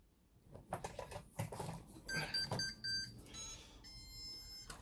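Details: Tronxy printer with Chitu motherboard powering up after firmware backup and reflash (boot jumper replaced): a few short high beeps over handling clatter; boots normally to Tronxy firmware.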